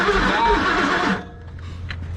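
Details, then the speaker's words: Circa-2003 Ford Expedition cranked with the throttle floored, with fuel and carbon coming out: the starter spins the engine for about a second and it never catches; no-start attributed to a blown head gasket. "at that man he's got a blown head gasket that's why i won't start that's why we're getting all that carbon coming out of there too he's got a blown head gasket"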